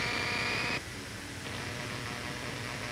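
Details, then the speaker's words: Studio monitors: a steady hiss with a thin whine on top, then a duller constant hiss, then silence; ground loop noise from devices linked by signal cables and plugged into different power outlets. "studio monitors electric guitars amplifiers audio interfaces Etc are all vulnerable to ground Loop noise so what exactly is ground Loop noise"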